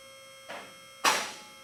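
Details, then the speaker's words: Car lift on its first run to the top, before any adjustment: over a faint steady hum, the safety locks click through each hole out of step, two clicks about half a second apart; locks still need synchronizing. "you'll hear the locks clicking as it's going up through each one of the holes at this point we have not adjusted them so they're not clicking all at the same time"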